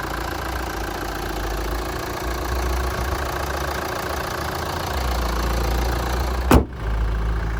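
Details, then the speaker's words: 2013 Kia Sportage Platinum diesel idling, heard under the bonnet: steady, even diesel clatter with no knocks, misses or belt squeal. Runs nice and smooth; clean engine bay; healthy. "So as we can hear it running at the moment, it is a diesel, but it is running nice and smooth. There's no major knocks, no squealing of the belts or anything."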